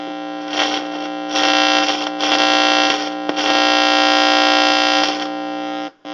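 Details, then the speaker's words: Lafayette guitar tube amplifier on an isolation transformer and variac at 120 V, before restoration. Steady mains hum with rough crackling bursts as the knobs turn. The tone and volume pots are scratchy and noisy; some noise possibly from a tube, probably not microphonics. "Both of them are scratchy and noisy. Some of that noise could be from a tube."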